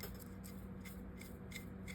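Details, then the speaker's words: Shakespeare 2410 spinning reel after disassembly, cleaning and lubrication: cranks quietly and smoothly with only a faint tick about three times a second; earlier grinding gone. "Hey, I don't think we hear that grinding anymore."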